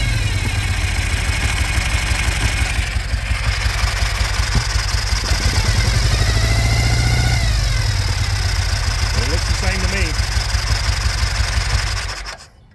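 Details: 2005 Ural Patrol twin motorcycle firing only on the left cylinder, after checking valve lash at top dead center, which was about right: lumpy idle at about three pulses a second with missing beats; a rev blip doesn't smooth it, one cylinder still dead.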